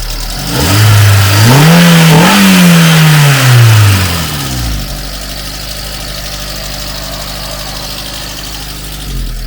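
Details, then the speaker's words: VW Mk2 Polo bread van with swapped twin-cam AFH engine, 1.4 or 1.6: revs rise, hang, then drop to idle with a rough diesel-like rattle that seems to come from the top end; owner suspects an air leak. "so you can hear it sort of sounds a bit like a diesel still not right yeah definitely some sort of rattle coming from sounds like the top end I think"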